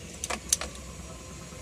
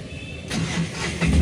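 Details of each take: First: Tata Ace Gold with the dynamo indicator not lighting and the battery at 12.33 V: a few sharp dry clicks at the key with no cranking, as the relay cuts out. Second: Tata Ace Gold diesel with new combination switch: quiet, then with the clutch pressed the starter catches and the engine fires within about a second; normal start.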